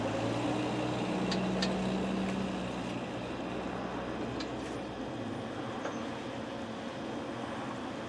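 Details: Isuzu 4BD1T diesel in a Land Rover 130 Defender pickup, cold start at -14°C after sitting unmoved, pre-warmed with block heater, 15W-40 oil: steady low rumble with even beat, 300Tdi idling in background.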